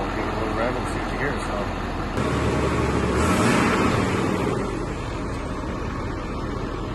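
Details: 2012 Ford F-250 6.7 Powerstroke diesel warming up after upgraded charge pipe install and boot redo: steady clatter, revving up and easing back with no hiss or whoosh of escaping boost; previously leaked badly, now sealed, normal.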